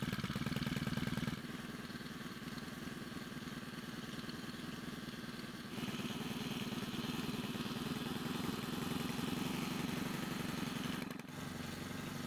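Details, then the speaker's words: Stihl pole pruner after carburetor cleaning and repair (years of stored fuel caused no-run): steady idle buzz, then rises cleanly under throttle and drops back without stalling or sputter; runs healthy. "Well, as you just saw, it started without any issues and it works great."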